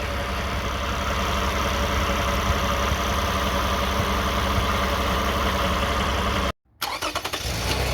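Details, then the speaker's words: 2009 Toyota Sienna idling, heard from underneath after flex plate and bolts inspected: constant dense buzz from transmission area persists; flex plate appears okay, torque converter or pump suspected, cause not found. "Guys, good. The noise is still on. We expect the flex plate is okay, but something wrong."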